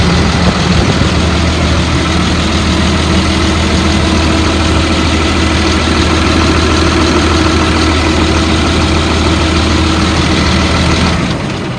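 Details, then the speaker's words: 2003 Blue Bird All American 72-passenger school bus, brief start despite heavy oil leak from the bottom: lights straight off, steady deep even idle, no knocks or stumbles, then shutdown; normal idle. "but i did want you to hear that the bus starts the motor sounds good started right up it didn't leak out all the oil"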